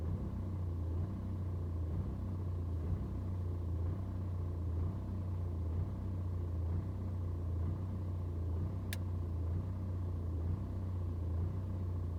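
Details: BMW 120d N47 diesel on cold start: idle revs surge and sag roughly once a second for over 2 minutes, with no helpful scanner codes. No rough idle on a warm restart after driving.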